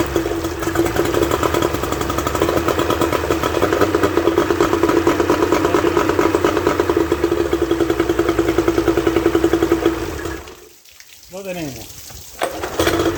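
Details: Suzuki 30 HP two-stroke outboard after freeing stuck piston rings and powerhead reassembly: quick even buzz with steady firing for ten seconds before shutoff; runs clean and healthy; normal running.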